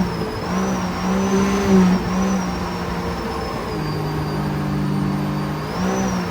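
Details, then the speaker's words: 300hp supercharged 12ft aluminum mini jet boat accelerating on water test after rebuild: engine hum climbs and holds a clean even note, no surging or cavitation roar; normal acceleration, much smoother. "Oh my gosh, it's so much smoother! And it gets out of the hole so much better!"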